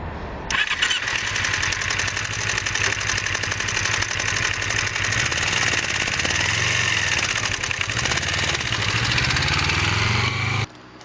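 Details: 2006 Kawasaki Ninja 250R engine running with a fast, dry ticking on top that sounds like it needs a valve adjustment; valves were fine, but the cam chain was extremely loose, and cleaning the cam chain tensioner is the fix; this is before cleaning.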